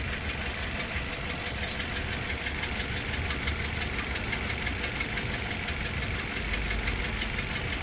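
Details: 2009 Toyota Corolla 1.8L, P0304 cylinder 4 misfire, suspected burnt valve, idling with hood open: uneven lumpy idle with light tick about three times a second, sounding like valve train issue; misfire.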